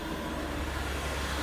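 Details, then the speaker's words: 2006 Ford Freestar V6 after new spark plugs, Motorcraft plug wires and ignition module, previously running badly: steady, even low hum with no misses, knocks or surges; smooth normal idle. "Purring like a kitten. That's awesome."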